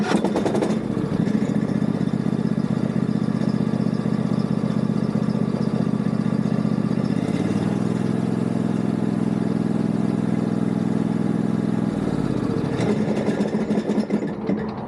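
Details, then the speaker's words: Yard Machines riding mower with a new battery: harsh clatter as it catches and again as it winds down, steady rough run between; owner suspects something rubbing under a pulley with play, or rocking from missing engine bolts; valves need adjusting. "See, it only does it when it starts up, and when it shuts off, it doesn't make that sound the whole time. So I don't think it's anything internal, but something either rubbing under where that pulley is, or it's that."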